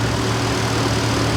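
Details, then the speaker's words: Ford 460 big block with new Holley Sniper 2 EFI, first start, fuel pump primed: steady V8 drone stuck at 1100 rpm with no dip or hunt. No vacuum leaks found. High idle from the throttle set too far open. "fuel pump's primed but let it learn and do its thing so I can't get it to idle lower than 1100"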